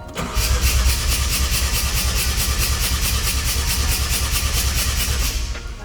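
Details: Mazda RX-7 FD rotary, warmed up, plugs out for compression test: even, quick cranking about three pulses a second, no dragging; measured about 275 rpm.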